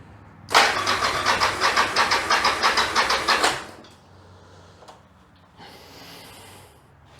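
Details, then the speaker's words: 1996 Yamaha XV750 Virago bobber, cold, twin carbs refitted after a single-carb conversion, no choke: about three seconds of steady cranking at roughly three pulses a second with no catch; hard cold starting. "t's changed since putting the twins back on is now it doesn't start when it's cold as good. It still does start, obviously, but not as good as it used to."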